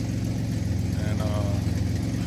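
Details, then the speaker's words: 2003 Ford Explorer idling after a full rusty muffler replacement (transmission support dropped to fit it): steady, deep, even rumble with no rattles or blowing; sounds normal now, O2 sensors still to be replaced for check engine light. "It's settled down, right? Sounds normal now. No more noise, no more complications, no more disturbing the peace."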